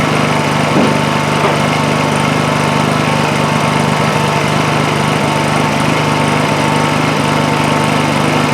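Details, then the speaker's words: Honda EU2000i inverter generator after replacing a completely plugged muffler that prevented running: throttles up under a drill load, then a steady smooth hum at even pitch, no hunting or misses; running normally under load after repair. "should I plug something into it see if it actually uh generates as you can hear it pick up uh throttle up a little bit under the load of the drill"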